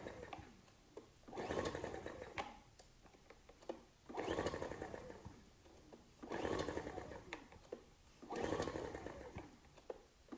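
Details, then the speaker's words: Ryobi RIG1000 inverter generator, on spray starting fluid, choke on and off: four pull-start bursts two seconds apart, turns over but never catches; good compression, sounded like it wanted to go; cranks but will not start. "i was trying all sorts of choke on choke off that's a good compression oh oh sounded like it wanted to go then promising"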